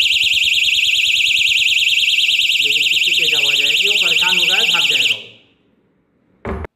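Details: Battery-powered stick-on door security alarm, armed and triggered by the door being opened: loud piercing warble siren sweeping steadily high, cutting off abruptly, then a short chirp; the alarm works as intended.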